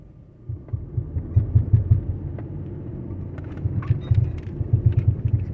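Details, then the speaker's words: 2012 Dodge Durango, driving and turning right: deep rhythmic thumping from underneath, louder on the second pass, barely present turning left; worn driveshaft center support bearing. "y la barra como si la barra Oye como si estuviera pegando con algo acá abajo"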